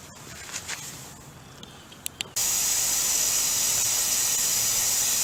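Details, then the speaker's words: Junk pressure washer with the water supply just hooked up and the engine not running: sudden steady hard hiss of spraying water from a small leak at the hose connection. "so looks like we got a little leak. Might need a little repair."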